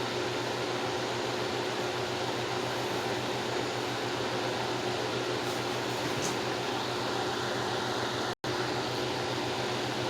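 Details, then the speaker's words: 1950s Wizard 6JC2418 hassock fan motor: smooth, even low hum with a soft airy rush and no buzzing or rattling; it runs normally. "okay so there's no buzzing or humming or anything like that which is the usual sign that you would see in a failing motor"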